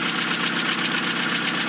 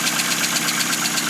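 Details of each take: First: 2000 Hyundai Accent idling after clutch, flywheel and transmission replacement, fires right up: steady even idle with light fast regular patter, no knocks or grinding; normal healthy idle. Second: 2000 Hyundai Accent idling cold just after clutch and transmission install, not run in a long time: fast even light ticking, roughly eight a second, over steady idle, sewing-machine tick, cause unknown; needs warming up.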